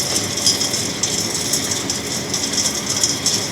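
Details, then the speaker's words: Axeman-Anderson 130 coal stoker heating a Mahoning 500 wood boiler, one week in, sending 170°F water and getting 160°F back, 8–9 psi, solenoid just clicked on: steady even fan and feed hiss, no knocks or grinding; running normally. "oh here we go well there you go it's action now i heard the solenoid click so yeah it's been running fine no problems heating the house with no trouble"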